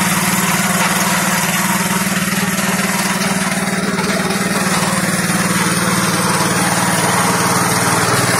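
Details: Fujijapan FJ601S 7HP tiller (2020 model), new, run by a customer at part throttle while tilling: steady even single-cylinder beat holding pace, no knocks or misses; healthy under load.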